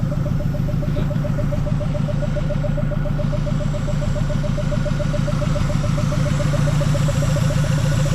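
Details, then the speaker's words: Mazda B2200 carbureted engine, running after 20 years following a full new fuel system (carburetor, lines, filters, pump, fuel cell): steady, even idle, regular firing pulse around 210 a minute, no misses or knocks; healthy. "well guys she runs finally after doing the whole fuel system carburetor fuel lines fuel filters fuel cell everything she finally runs"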